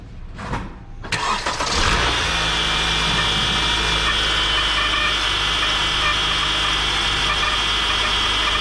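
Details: 2014 Honda Accord Earth Dreams engine, noise from belt drive; cranks, catches and idles with steady high whir. Belt tensioner bearing also going bad, but worn water pump bearing made most of the noise; both replaced.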